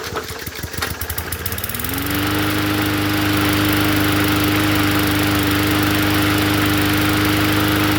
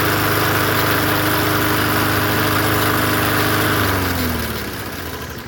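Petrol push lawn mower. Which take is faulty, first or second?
second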